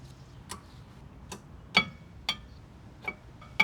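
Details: Tesla Model Y rear brakes making sharp metallic ticks with a brief ringing tone while driving; cleaning and burnishing the brakes did not help, and the cause is unknown.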